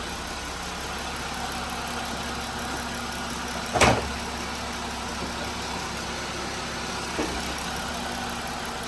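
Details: 2018 Jeep Wrangler JL 3.6L, 79,833 miles, after replacing the worn-lobe bank one intake camshaft and rocker arms for a ticking noise and P21A code: steady, even idle with smooth low hum, no valvetrain tick, one brief clunk midway.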